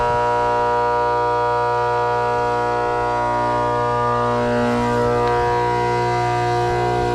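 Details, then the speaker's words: Trane condenser fan motor, quarter horsepower, 208-230 V, 825 RPM, on an R22 system with low head pressure and a leak; loud harsh droning hum throbbing about four times a second; worn motor bearings, motor needs replacing. "Yep, bearings are shot on it."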